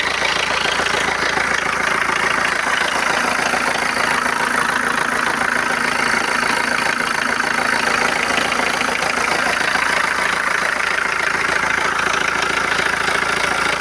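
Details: 2013 BMW 114d diesel at idle: steady tick about three times a second over the clatter; engine noise, source unclear.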